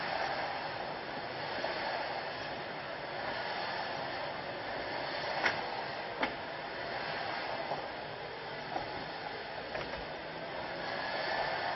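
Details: BMW E90 with a random pop like a rock hitting glass from the passenger-side windshield/A-pillar area, not the dash, when the front right wheel hits speed humps as the chassis flexes, over steady cabin road noise.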